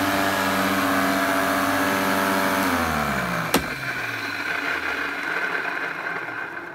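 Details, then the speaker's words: Electrolux 502 vacuum cleaner running with a turbo power hose attached: steady high motor whine with rough edge dropping smoothly in pitch on run-down, suspected worn motor bearings. "I think that sounds more like the bearings on the motor sounds a bit crazy"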